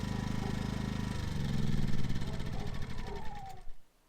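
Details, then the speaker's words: Roughly three-year-old Ryobi generator, after fixing a hard start by tightening a stretched, loose choke cable: steady, even hum with no misses or knocks, then a clean wind-down at shutdown; normal running. "make sure she runs and again this was for a hard start not a runability issue fantastic she runs great shut her off"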